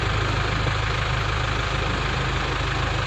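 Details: Nissan Terrano diesel with FS5R30A manual gearbox, idling: even low clatter, no odd gearbox noise, at most slight change with clutch pressed when cold; normal idle.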